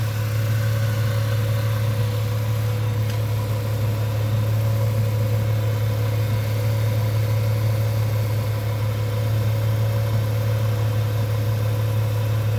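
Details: 1998 Ford Mustang, first start after about ten years sitting, warming toward normal running temperature: steady, even low hum with no misses, knocks or ticks; smooth healthy idle.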